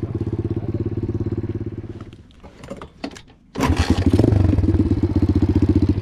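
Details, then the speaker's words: Apollo DBX-18 dirt bike after replacing shredded transmission main and counter shaft gears and case, cylinder and head gaskets: crisp single-cylinder pulses pull steadily, drop briefly through each shift and pick up cleanly, no rattle; normal running and shifting. "Shifts out through all the gears just like it should. Hit a couple jumps on it. It's good to go."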